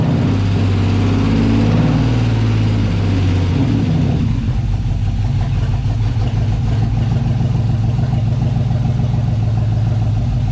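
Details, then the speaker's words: LS-swapped 1988 Firebird on first start after fuel system install, new ECU, oil pan low; uneven lumpy loping idle, quiet with no ticking or knocking; rough idle, owner suspects the new ECU still needs to learn. "doesn't really have a cold start but I should go up higher but that ECU might need to [Music] learn it's running not very well"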